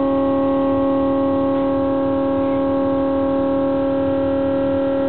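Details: LG refrigerator, new, often around 1–2 AM: loud steady wailing tone like an air raid siren with overtones above it.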